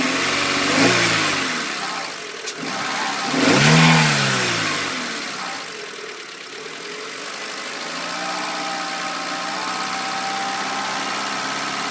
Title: Clio 1.2 16V Whiney Rattling noise